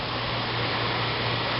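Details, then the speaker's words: 1995 Fedders window air conditioner, fan only on low speed, heard from outside: steady even whoosh of air with low hum, no rattles or ticks; normal quiet fan operation. "just the fan only the fan yeah and again the fan only pretty quiet"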